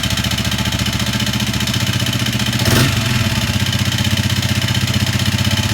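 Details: Honda CRF250L single-cylinder (same engine as Rebel 250/CB250R), 3,851 km, noise growing since new and now stalling; irregular rattling clatter about four per second over lumpy idle; new cam chain tensioner didn't help, top end damaged by abnormal combustion from stale fuel.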